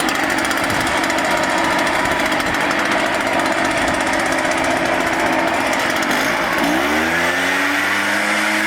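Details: Echo PB-500T backpack blower after rebuild and carburetor dial-in, previously wouldn't idle and fell flat on throttle; steady high two-stroke buzz holds an even pitch without stumbles, then winds down smoothly. Normal healthy running.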